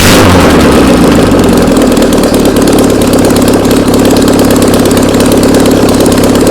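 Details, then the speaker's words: Old VW Beetle engine sat two years, on start stand with control box, fuel squirted into carb: fires straight up and settles into steady, even, busy idle with no misses, knocks or rattles; runs well. "Hey, it runs. Come check this out. This thing works awesome."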